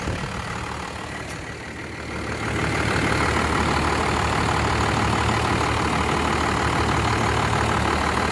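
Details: First-gen Dodge, 12-valve Cummins diesel with low compression, at idle; loud clatter with an uneven loping beat about three times a second; tired engine with heavy blow-by.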